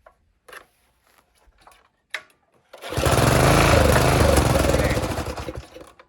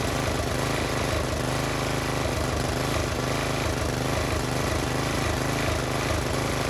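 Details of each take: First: Old Briggs and Stratton tiller engine that sat for years, starting fluid sprayed under the breather: quiet after pulls, then catches and runs a few seconds before fading out; ignition is fine, fault is the carburetor not delivering fuel. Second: Old Briggs and Stratton-powered Polan Pro tiller, left sitting for years, now fitted with a new China-made Amazon carburetor, new plug, new air filter, new fuel line and filter. Idle screw set high so it won't idle down; steady, even chugging with no misses. Runs normally.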